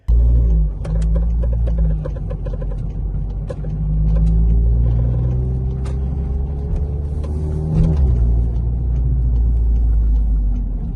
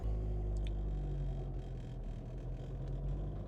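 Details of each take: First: Car on Airlift Performance air suspension, driving: irregular sharp clicks and creaks from the front upper strut (pillowball) bushings over low road rumble, starting about a week after the kit was installed. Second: Warm car on Airlift Performance air suspension with pillowball bearings, previously noisy after install: rolls off slowly with a steady low rumble and no squeaks or squeals; owner suspects a break-in period resolved it.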